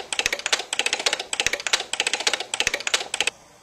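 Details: DUO 14 Premium 2-bit relay computer in fast mode looping a copy/go-to program: rapid crisp relay clicks in tight repeating bursts, about four a second, then quiet; normal cycling.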